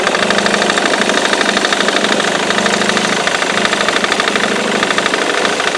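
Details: Ford Mondeo Mk3 2.0 TDCi diesel idling with a loud uneven tapping knock about three per second; the noise persists after the crankshaft pulley (FEBI), accessory belt and tensioner were replaced; cause unknown.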